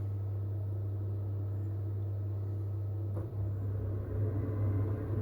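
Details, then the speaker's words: Potterton/Promax Combi HE Plus 28 boiler on central heating demand, after fixing a heating fault traced to the 3-way valve motor: steady low fan hum spinning up, shifting as the burner ignites and pump starts; normal start-up. "Okay, so that sounds like the, so we have ignition, pump stepped in, watching the thermostat rise."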